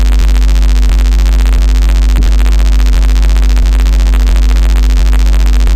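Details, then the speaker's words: RODE XCM50 USB microphone plugged into a computer USB port: loud steady low hum with raspy buzz and faint ticks; front light flashes when USB-C socket is wiggled, indicating a loose, damaged USB-C socket, with a possible short on the capsule audio wire. "Don't know if it's a switch mode power supply or something feeding back, but if you was wiggling around the uh USBC port, the light on the front was going in and flashing. So, it's definitely a loose connection there."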